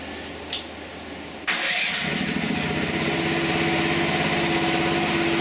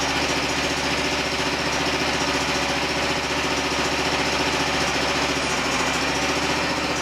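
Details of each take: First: Mini excavator engine with hydraulic motor disconnected and the two hoses tied together: starts and settles into a heavy, labored idle, loading down about the same as with the motor attached. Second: Pump adapted as a hydraulic motor for a DIY mini-excavator mower, first test: steady, even whir at constant speed, no stumbling and no leaks. Broken pulley caused vibration. Working normally.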